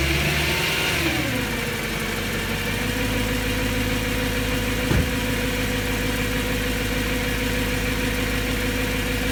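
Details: BMW M3 with the S65 V8 after new bearings: revs drop to a steady idle with a faint, quick valvetrain-type ticking over the engine note. The owner still finds it abnormal; source not pinned down.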